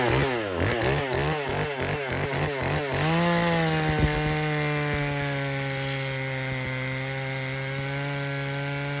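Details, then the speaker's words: Husqvarna 120 Mark II homeowner chainsaw at full throttle cutting after carburetor tuning: throttle blips, then a clean, steady high-pitched scream that holds pitch under load; carb set right, normal cutting. "so you can see our carb is set pretty good it cut through that piece uh well cut a bigger piece here"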